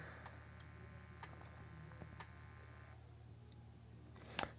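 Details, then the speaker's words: Amiga 500 floppy drive in for repair. The motor spins and disk insertion is detected, but the drive won't read. Faint dry clicks come about once a second over a quiet motor hum, and the head steps without reading. Later traced to a faulty CIA chip. "just not reading it and everything else seems to be working as expected"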